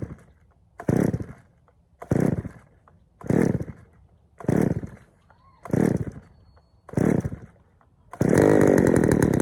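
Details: Poulan 3000 chainsaw, previously wouldn't start, first run after draining dirty old fuel and refilling fresh: seven sharp throttle blips then held wide open, picks up cleanly but runs slightly rich; low-speed mixture to be adjusted.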